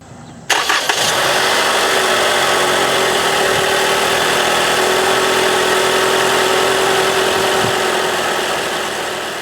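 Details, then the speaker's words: Toyota A25A Dynamic Force engine, cold start on the third day after resealing the front timing covers with the timing chain removed. The starter catches quickly, the engine flares, then settles to a smooth, quiet cold idle with no rattle or tick. The tensioner rattle that came from low oil pressure at first startup is gone. "We cold started today. This is actually the third day here. Cold started today. Everything sounds nice and quiet."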